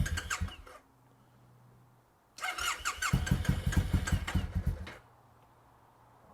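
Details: Triumph motorcycle (T100 or Bobber) after sitting in the garage most of the year: a short burst of cranking, a pause, then a long run of steady churning pulses at about two a second that never quite catches; slow, reluctant start.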